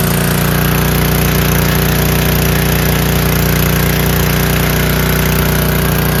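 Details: Free 5000 W PowerBack generator with a Tecumseh engine, fitted with new fuel filter, lines and an undersized 5 hp replacement carburetor, started on middle choke without spray: holds a steady, even drone with no surging or hunting. Normal running.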